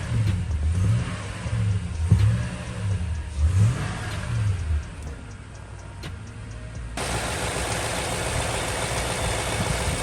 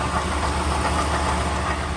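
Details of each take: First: 2012 Toyota Tundra V8 after new water pump, thermostat and valve cover gaskets, during coolant bleeding and warming to operating temperature: light throttle blips, then a quiet, smooth normal idle. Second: 2012 Toyota Tundra V8 idles with a busy, uneven rattle and knock under its steady low rumble, from a worn water pump bearing; water pump, thermostat and valve cover gasket replaced afterwards.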